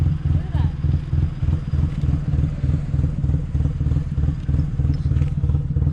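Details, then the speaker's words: Low rumbling idle with an uneven, stumbling beat about three pulses a second, a full miss for unknown reason; wideband reading very lean, 19 to 18. "and it's also getting like a full miss for some reason"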